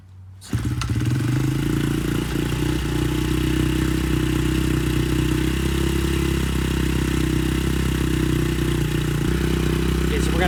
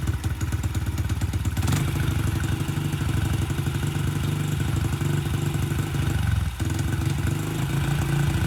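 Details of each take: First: Honda CRF70F on a newly installed stock carburetor with a new fuel filter and air filter starts on the first try and settles into a steady, even low rumble with no stumbling while warming up before adjustment. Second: Honda CRF70F on a newly installed stock carburetor idles unevenly with a brief dip. The owner suspects an air leak because the pilot screw must be almost fully screwed in. The cause is not confirmed.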